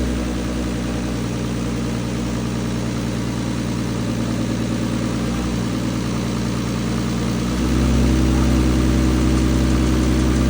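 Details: Turbo BMW E46 with an M52B28 swap, Link ECU and 1650 injectors, idle fueling freshly tuned: steady, even six-cylinder idle with a smooth low hum settling slightly higher, no misses or knocks. Idles super smooth despite the large injectors; normal.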